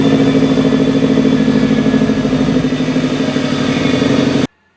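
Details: 2014 Subaru WRX Premium at idle: steady idle with an uneven, lumpy pulse and no clean rhythm until it shuts off; rough idle under diagnosis.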